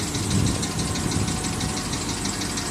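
Even idle with a light, fast ticking riding on top at a steady rate; a faint knock, cause not yet pinned down.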